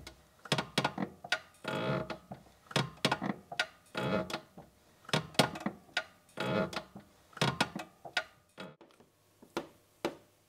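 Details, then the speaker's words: Toyota Aygo (Citroën C1/Peugeot 107 type) creaky clutch: dry creaks and clicks as the pedal is worked, mic on the clutch release lever; noise from the gearbox release arm, with play and roughness in the thrust bearing. "so i think most of the noise is coming from in the gearbox or you know associated with this arm so there's a wee bit of play in the thrust burn and it is rough just moving it back forward with my fingers there"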